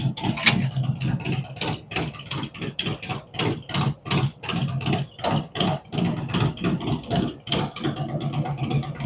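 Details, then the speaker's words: V-twin on first fire-up after Zipper's 468 cam, adjustable pushrods, aluminum intake, 5.3 injectors, existing headers and ThunderMax; loose uneven potato lope about three pulses a second, steady, settling as it warms; normal idle. "be a good one good running"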